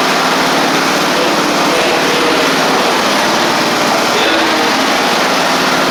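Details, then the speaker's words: Sabre riding mower after a transmission drive belt replacement, in neutral with the parking brake on: the small engine holds a steady, even high speed with no misses, surging or knocks. It runs normally and drives. "all right that's excellent started up ran good drove so we're two out of three we're running and driving now"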